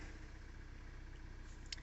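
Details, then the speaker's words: 2017 Kia Soul 2.0L after crank position sensor replacement, idling during scan tool auto-scan: low, even idle rumble with a steady beat and no misses or knocks; running fine. "so me be hitting continue 20 times it's running fine it's car is sitting here running"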